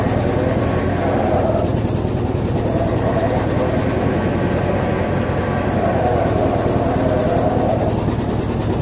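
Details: Vintage John Deere 720 two-cylinder diesel tractor after head gasket repair: steady loping beat at constant speed, about three pulses a second, no knocking; runs evenly.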